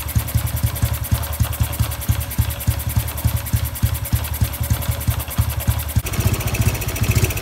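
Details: Honda Wave 110i, modified engine returned to stock with ECU remapped to factory standard; even steady low thumping at idle with no knocks or misses, slight rise in pace; normal idle.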